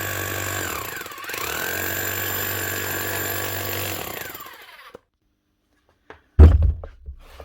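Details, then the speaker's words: Metabo MHEV 5 BL brushless demolition hammer after repairing a broken con rod bearing, new O-rings and chisel-lock fix: fast even hammering with steady motor tone for about four seconds, starting a bit weak until grease spreads, then winding down; working properly. "that's her running hammering locking the Chisel Hammer way starts off a little bit weak as they actually start running the begin with that'll keep getting stronger now the more that Hammer's run"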